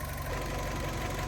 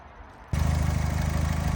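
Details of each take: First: 2008 Fiat 500 1.2 petrol, one owner, 25,000 miles, after repair of a rough idle (MAP sensor suspected, timing questioned): smooth, even low idle with no misses, hunting or stumble. Normal idle. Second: 2008 Fiat 500 1.2 petrol, 25,000 miles, idling: idle sags every few seconds, rough drone nearly dying then surging back; hunting idle, owner suspects air leak, later finds taped-up cracked intake pipe near airbox.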